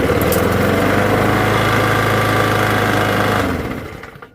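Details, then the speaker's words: Old used Briggs & Stratton lawn mower engine after clearing a vapor lock, started on one pull: steady, even single-cylinder putter at constant speed before shutting off. Running normally. "And that's it. One pull and that thing cranked right back over."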